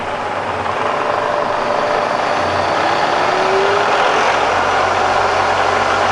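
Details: Bridgeport Vari-speed milling machine with reground table, running in reverse and run up to about 2,200; a steady whir under shop noise with a faint tone rising in pitch as the spindle speeds up. Smooth, healthy run.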